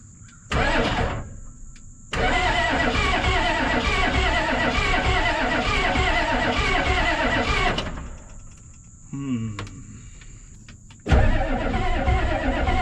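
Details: 1988 Ford rollback diesel that sat about 10 years: the starter cranks in long bursts but the engine never catches; a leaking, bubbling injector is found and fuel delivery is uncertain.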